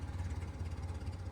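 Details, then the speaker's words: Abandoned 1970 BMW 2002, first start in 10+ years, running on ether with no fuel supply: very low, lumpy tractor-like idle barely staying running, seems to need choke, smoke stopping; rough idle. "oh is just idling idle it sounds like a tractor oh it's the softest little baby idol back there it sounds like it's like not running"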